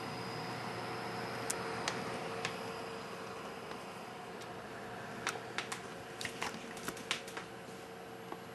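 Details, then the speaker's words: Hi-Phin AMD X2 desktop PC (AM2 dual-core, 250GB SATA drive) at full load, with the mic next to the case: a soft, even fan hiss with a faint hum and barely audible drive clicks. The rear fan is loudest, and the cooling is normal and quiet. "so as you can hear even the full load you can't hear the hard drives clicking and working you can't really hear that on the only thing you really hear is the fan at the top and the fan in the front but even then you can you can barely hear that"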